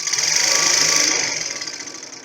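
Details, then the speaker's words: Overlock sewing machine on its bench, motor run by the left foot pedal, not yet lubricated: high steady whirring buzz with fast even chatter that speeds up and winds down smoothly; normal running noise. "Então eu vou desligar por causa do barulho, tá, gente? Ó, desliguei. Eu ligo e desligo aqui, ó. Eu ligo e desligo aqui. Ela faz esse barulhinho mesmo, tá?"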